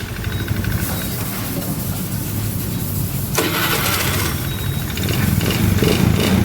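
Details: Honda Beat FI scooter that had clicking starter, no oil and a seized-heavy engine, after adding oil and freeing engine by turning it; brief whirring crank then catches and settles to steady low run; clean electric start, engine still noisy and smoky.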